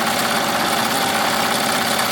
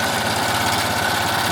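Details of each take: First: Melco embroidery machine with replacement hoop arms: a steady, even rapid stitching patter, much quieter, with none of the banging the earlier arms made; normal stitching. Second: Melco embroidery machine fitted with the new black Melco-supplied hoop arms: fast stitching chatter with a harsh buzzing rattle as the presser foot hits the hoop, vibrating constantly and louder. Presser foot striking hoop.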